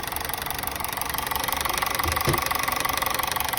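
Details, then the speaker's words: Honda City running on CNG, idle on gas shaking badly with an uneven stumble about three beats a second; misfire from a leaking CNG injector, later fixed. "HondaCityนะครับตอนนี้นะครับโอเคเข้าแก๊สแล้วเดินสั่นมากเลยนะ"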